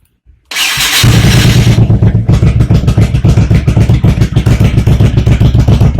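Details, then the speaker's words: 1985 Honda VT1100 Shadow after swapping in VF700 CDI boxes and replacing the front pulser, cold: V-twin cranks, catches and settles into a strong, evenly loping idle with no misfire; healthy cold start. "she's little cold bright yellow warm up a little bit forgiving"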